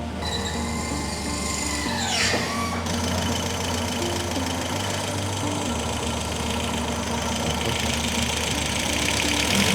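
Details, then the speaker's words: Restored 1969 Audi F103 L 72PS, ignition timing just set, automatic choke, engine partly warm: steady, even idle with low consistent churn, no misses or loud knocking; sounds better now, normal idle. "Automatic choke. Yeah. And it's got some warmth in it. There's warmth in it. Hang car sounds better now."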